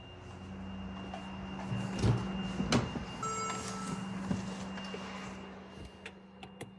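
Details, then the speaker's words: 2013 Mercedes GL550 (X166) after replacing the AIRMATIC compressor and valve block to fix a loud front-right buzz at cold start: a steady low hum under some clatter, no harsh buzz; the new compressor runs quietly, confirming the old compressor was the cause. "okay it's definitely operating and it's absolutely not [Music] noisy"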